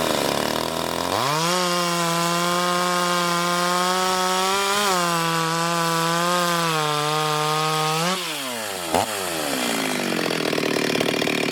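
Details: Ported Stihl 026 chainsaw making shakedown cuts in hard wood: a steady high-revving two-stroke scream that holds pitch through the cut, then eases off cleanly. Normal running, strong and healthy.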